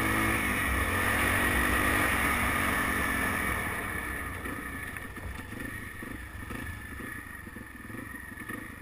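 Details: BW200: revs then settles to idle, leaving a light, even metallic rattle pattering about four times a second over the engine; engine rattle, source unknown.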